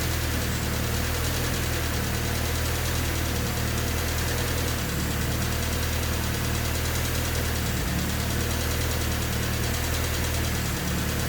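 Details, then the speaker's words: Honda D16Y8 swapped Civic after valve lash adjusted to spec, not fully warmed: steady low idle with fast light ticking, seemingly little changed after adjustment; owner suspects injectors, hunting idle remains. "That was the sound of the engine after I've adjusted the valves. So they're all adjusted to spec now. Not really sure if it sounds that much different. I mean, it's still ticking quite loud. Could very well just be the injectors."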